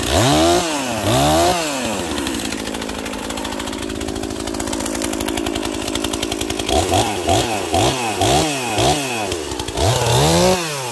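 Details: Husqvarna 242XP small two-stroke chainsaw cutting a leaning tree in tight quarters: revs crisply between cuts, clean high snarl under load, no bogging; running strong and healthy.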